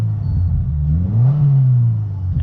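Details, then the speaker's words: 2022 Subaru WRX turbo, still a little cold, on ramps after Perrin charge pipe install: deep rumble climbs with the rev and settles smoothly, no hiss or whoosh of escaping air; healthy turbo spool, no boost leaks. "you can hear the turbo spooling and it's fine. Runs perfectly well. It's still a little bit cold, but it's fine."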